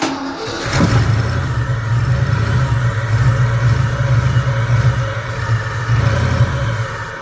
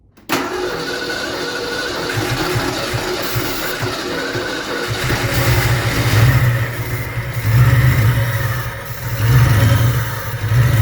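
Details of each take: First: Fox Body Mustang, off the road over 20 years, first start attempt on sprayed starting fluid: engine catches, runs rough and low about six seconds, then dies; apparently no fuel, only what was sprayed into the intake. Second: Fox Body Mustang V8, started for the first time in over 20 years after many parts were replaced. Cranks and catches within half a second, then settles into a steady deep idle with light blips. Normal start and idle.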